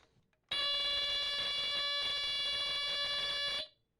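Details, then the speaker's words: Sears smoke detector from 1977 with mechanical horn, test button pressed: loud steady high-pitched horn blares about three seconds then stops cleanly; alarm works normally. "It sounds like this but higher pitch. This is a mechanical horn."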